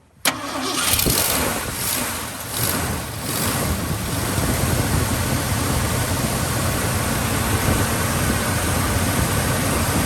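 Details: 1967 Ford F-350 Custom that sat about 10 years, old uncleaned ignition points reinstalled, little gas in tank: quick crank, catches at once, brief uneven flare, then steady even V8 rumble; normal start and idle. Carburetor accelerator pump diaphragm leaking badly.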